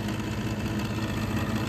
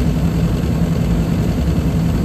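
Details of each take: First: Trane rooftop gas unit just after gas valve replacement, first firing this year: steady motor hum with a rough, fluttering hum on top instead of a smooth whir; the draft inducer motor is running noisily. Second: Trane rooftop gas unit after gas valve replacement, first heating run of the year: steady even low roar with constant hum, no surging, rattles or popping; gas pressure slightly high, burning smoothly.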